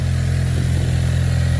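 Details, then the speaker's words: 2016 Ford Mustang EcoBoost, new engine tuned on E85 with big Precision turbo, just started and warming up: deep, even low rumble with no knocks or misses, no smoke; normal idle. "Oh, that sounds really good, boys. No smoke. That's beautiful."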